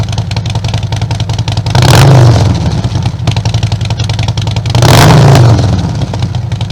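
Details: 2020 Harley-Davidson Road Glide Limited with 131-inch motor kit, first start after build, in neutral; even lumpy V-twin idle with two clean throttle blips that rise and settle smoothly, no knocks or rattles: normal revving.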